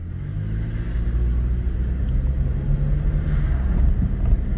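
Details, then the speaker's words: 2002 Honda Civic after ECM replacement, which fixed limp mode (underpowered, misfiring, not shifting past 3rd): slow test drive with a low, even road-and-engine rumble, no misses, knocks or surging. It is running normally. "i'm obviously driving slow because i got all the tools and stuff just around me but yeah so as you can see it's driving perfectly fine"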